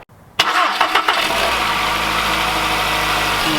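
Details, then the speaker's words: 2011 VW Jetta 2.0L first startup after timing belt, tensioner, water pump, thermostat and serpentine belt replacement, briefly run without coolant: short crank, catches right away, settles to steady even idle with no knocks or rattles; sounds good. "Alright, she sounds good. Some serpentine belt on there as well."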